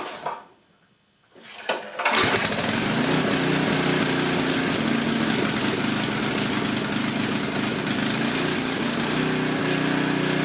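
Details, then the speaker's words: Coleman Powermate 6250 generator, 10 hp Tecumseh engine, test run after carburetor work with no fuel leaks from the bowl; pull start catches at once, steady slightly uneven loud run; runs well, air-fuel mixture needs a couple tiny adjustments. "so it looks like it's going to run good just a couple tiny adjustments with the airfuel mixture and i think i'll have this thing dialed right in"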